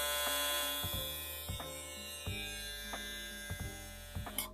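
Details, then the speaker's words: Kemei KM-1767 hair clipper, 9,000 RPM, measured about 73.5 dB; high buzzing motor tone with irregular rattly pulses, owner suspects a loose part amplifying vibration; cause not confirmed. "se escucha como que está por esto que está como flojo hace que las vibraciones sean aún mayores en lo que es el sonido y se escuche como una acústica extraña en lo que es el equipo"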